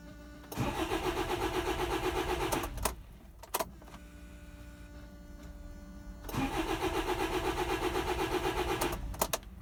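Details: Land Rover Freelander TD4 diesel, 89k miles, new low pressure pump and filter, good fuel pressure on diagnostics: fires and runs roughly about two seconds then dies, restarts and stalls again; timing issue suspected, undiagnosed.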